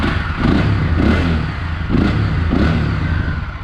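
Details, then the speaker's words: Motorcycle after fixing its rattling license plate, which was sitting crooked: engine blipped four times, revs rising and falling cleanly with no plate rattle. "Bom dia vocês podem ver rapaziada agora ir parou mano vou dar uma acelerada aqui ó ó"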